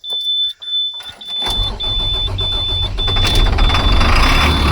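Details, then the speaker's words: Probably 2004 International 4400 DT466 diesel truck that sat unused and cranked slowly, no active codes: chime, brief crank, catches late and settles into rough idle; hard start, some problem suspected but not identified (ICP/IPR being checked). "it doesn't start really great either. It leads me to believe there's some kind of problem anyways."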